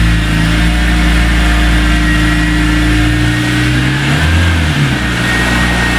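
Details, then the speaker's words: 2003 BMW E46 M3 CSL after replacing broken SMG motor with Burkhart upgraded kit and SMG oil, bonnet shut: steady low engine drone, brief dip moving off, no clunks or grinding; forward and reverse engage, no dash faults; normal SMG engagement. "well, as you can see, the car still drives, so can't do anything too terribly wrong. It goes into forwards gears and reverse. Everything seems to be working nicely."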